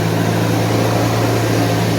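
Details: 1991 Mercedes 190E just after new hydraulic lifters fitted, first start with lifters not yet fully filled: smooth even low hum at idle, no ticking over the top, valvetrain quiet; normal idle.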